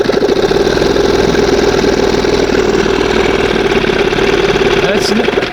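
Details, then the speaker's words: 1971 Johnson 20 hp outboard with high-idle problem, running on cylinder one only: low steady idle with even popping beat just before first mark, no stumbling; sounds as it normally should. "And like I said, see how it sounds the the, you know, goes down. Sounds more like it normally should."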